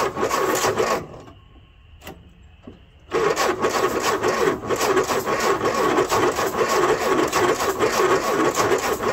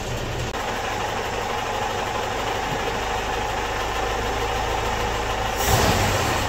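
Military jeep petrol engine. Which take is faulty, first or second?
first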